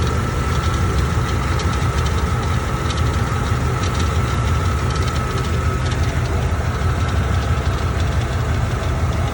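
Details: Loose transmission metal line knocking and creaking against the chassis, heard from the undercarriage of a 1998 Jeep Grand Cherokee ZJ 5.2L V8 at idle.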